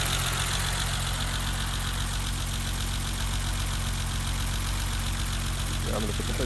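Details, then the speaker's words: 1988 BMW 325 sedan, cold start after sitting overnight, about 2 minutes running, temp gauge just rising, phone near the injectors; steady cold idle with light even injector ticking, nothing irregular; normal idle with injector ticking. "I'm going to move the phone around so you can hear different parts. Injectors."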